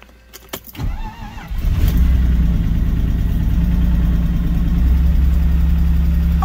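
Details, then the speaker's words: BMW E39 cold start, first start after a new clutch install with a starter solenoid that had been stuck: the starter whirs, then the engine catches into a deep, lumpy, uneven idle, running rough. "sounds horrible [Music] oh it's running [Music] not sounding too good"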